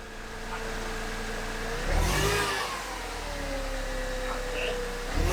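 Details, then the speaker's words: Manual Mercedes C230 Kompressor supercharged, 183,000 miles, first start on a new header burning off residue: clean rev rises and falls smoothly with a deep exhaust note and no rattles or leaks; normal revving, engine healthy. "remember things are sounding really good so far"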